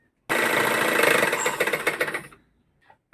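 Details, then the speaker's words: Single-needle sewing machine: loud rattling clatter at about four beats per second fading as it slows, from thread and lint jammed in the shuttle hook area. "എല്ലാവരും face ചെയ്യുന്ന ഈ സൗണ്ടിന്റെ പ്രശ്നത്തിൽ main ആയിട്ട് വരുന്നത് എന്ന് വെച്ചാൽ നമ്മൾ ഈ ഷട്ടിലിന്റെ പോർഷൻ ആയിരിക്കും കംപ്ലൈന്റ് വരുക"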